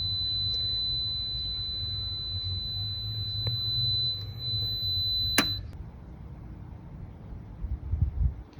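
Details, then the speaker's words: Powerjack 12000 AMG inverter on 48 V in 120/240 mode trying to start a 240 VAC 2.5-ton central AC: steady high-pitched alarm over a low hum for about five seconds, then cutoff; overload, compressor fails to start. "no definitely not working all right so there's a failure we'll not start a two and a half ton ac"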